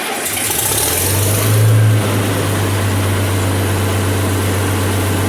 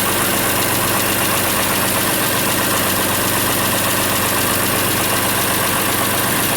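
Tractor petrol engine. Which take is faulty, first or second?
first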